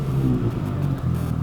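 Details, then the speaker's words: Van broken down on the road about 10 minutes from Bathurst: rough, stumbling low rumble with the beat dropping out, a serious misfire. It went from driving fine to no power reaching the wheels; the cause is unknown. "We're misfiring something serious."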